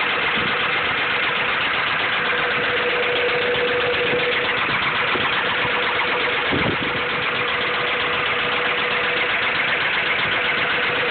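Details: Honda B16 petrol engine idling: steady, fairly quick knock about four per second over a thin, raspy idle, consistent with rod knock.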